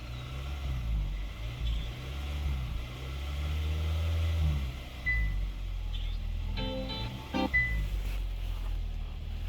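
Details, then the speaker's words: 2022 Kia Sorento 2.5L just after an oil and filter change with about 6.1 quarts, car raised up in the air, idling to build oil pressure: a steady, low, even hum with no knocks or ticks. Healthy normal idle. "Make sure it's got oil pressure. We'll let it idle for a minute and we'll just"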